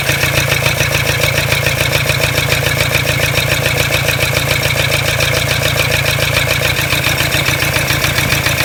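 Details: Toyota Hilux D-4D 1KD-FTV diesel at idle: hard rattling knock, about three to four a second; noise persisted with each injector disconnected, reduced on cylinder one; owner suspects cracked piston, not confirmed.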